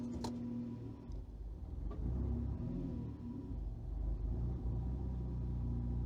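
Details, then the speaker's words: Newly built engine with fresh ECU install, coolant possibly still cool: idle near 600 rpm sags and stumbles unevenly after selecting gear; ignition timing retarding in gear, causing it. "See, stumbled a little bit there. All right, it's making me look bad."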